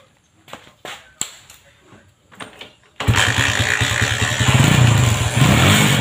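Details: Honda MegaPro modified CB-style, kick start kicks back, dies when throttled: a few sharp pops, engine catches then stutters and surges unevenly when revved.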